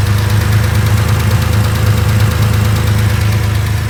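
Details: 2.4 engine at idle: light, fast tick about three per second on the left-hand side; cause not yet pinned down.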